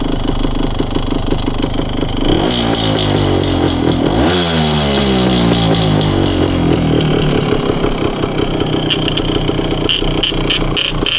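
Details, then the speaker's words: 1974 Honda MT250 two-stroke enduro after crank seal replacement, cylinder hone, new piston and rings, and carburetor sorting; first kick start, crisp steady ring-ding idle with clean blips settling evenly; normal idle. "I was able to get the uh bik the idle really well let's see if it uh makes a liar out of me here"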